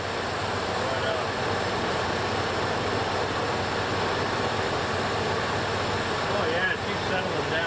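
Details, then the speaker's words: 1968 Buick Electra 225 V8 after full ACES Killshot 2 EFI install, fuel pressure 60 psi, no leaks: even, steady idle with smooth low rumble, no knocks or misses, settling as it warms while sensors learn; normal idle. "Hear that? It's smoothing. Doing its thing."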